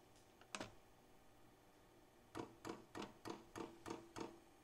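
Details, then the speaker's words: Vevor 5 kW diesel parking heater on kerosene and a 12 V battery, first-ever fuel priming. Heat set to level 4, fan blowing lightly. Quiet room, then seven crisp evenly spaced ticks about three a second as the dosing pump primes. Normal. "that sounded like fuel pump so that's the fuel pump priming it hope you guys can hear that"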